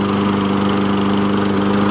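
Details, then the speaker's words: 2007 Toro mower with a Tecumseh engine. A strong, steady single-cylinder drone with an even beat and no misses or surging; it runs and drives well. "Runs good, drives good too. It drives nice and good for driving. That's great."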